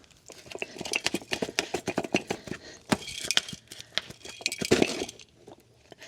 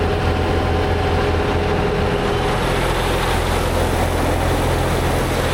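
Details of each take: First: Bat wing brush cutter gearbox removed, shaft turned by hand: irregular metallic clinks and crunching from chunks of broken gear floating inside the case; broken gearbox gears. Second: Tractor-driven batwing brush cutter after gearbox repair with a $300 aftermarket part and fresh gear oil, lowered and run: steady, even drone with no knocking, clunking or grinding; gearbox running healthy, normal operation.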